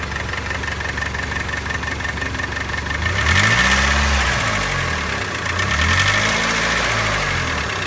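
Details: 2003 Mitsubishi Outlander AWD 4G64 2.4L SOHC, 190,000 miles, idling: steady light tapping about four per second; persists after engine flush, synthetic 5W-30 with Marvel Mystery Oil and new primed lash adjusters; not spark plugs or timing belt; cause unknown.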